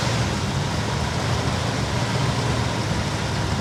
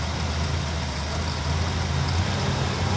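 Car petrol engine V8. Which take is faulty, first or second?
first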